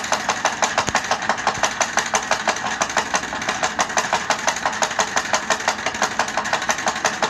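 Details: Powered chair that sounds like a tractor: rapid, fairly even knocking near three per second over a rough motor drone from the chair's drive; cause not evident.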